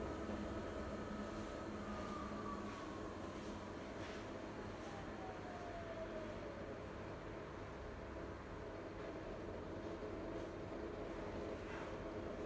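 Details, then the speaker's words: Siemens IQ300 washer (WG41A1X1TR, listed 9 kg/1000 rpm), start of the 13-minute spin program: quiet, even drum hum with a soft motor tone gliding upward as the spin builds, no knocking or scraping. Normal early spin. "Başlat tuşuna basaraktan sıkma işlemini başlatıyorum. Yeni nesil çamaşır makinesinde sıkma işlemi 13 dakika sürüyor arkadaşlar."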